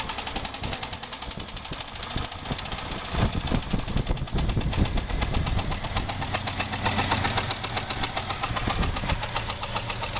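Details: 2001 Jeep Grand Cherokee 4.0 straight six idling with persistent knock (~4/s) that appeared suddenly after a 10-minute stop; loudest on exhaust manifold where it joins the engine; valves, water pump and alternator ruled out; wind on microphone; cause unknown.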